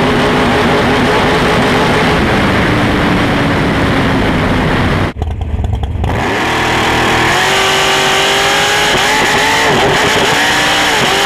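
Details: Big-block Chevy 565ci race V8 runs rough and uneven, stumbling and briefly dropping out: misfire from a failed ignition coil.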